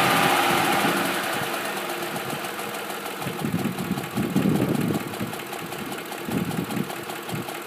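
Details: 2005 Ford F-150 SuperCrew 4x4 5.4 V8 at 126k miles, idle: quick light ticking about four per second over steady idle; cams replaced at 88k but tick persists, no power loss, burns a quart of oil per 4k; cause unknown, cam phaser suspected.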